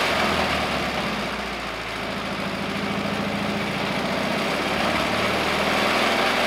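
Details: 1950s Caterpillar 955 Traxcavator pony motor, after an oil change and new spark plugs (it previously wouldn't start without ether): small petrol engine ticking over at a steady, even idle with no misses or stumbles; normal idle.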